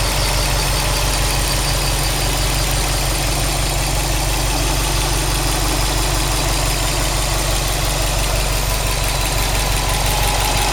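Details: Subaru WRX STI with a new engine at 800 km, stock, 5W40 oil, oil pressure 2 bar, oil temperature 85°C, air 21°C: steady idle with a regular ticking knock of about three per second; abnormal engine noise, cause unknown.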